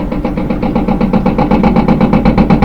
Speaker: if it's empty you shouldn't be getting that much vibration but that's how you know you have a bad rear bearing